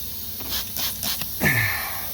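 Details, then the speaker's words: Turbo pickup pressurized with a homemade regulated boost leak tester after a smoke test found nothing: short bursts of sharp hissing, then a rising squeal as air escapes from worn, thin intake boots and leaking intake plenum; boots to be replaced. "we got plenty of leak leakage going there we're planning on in this pickup and replace all of that uh these boots and the actually even the intake plenums are a little you know they're leaking on this side"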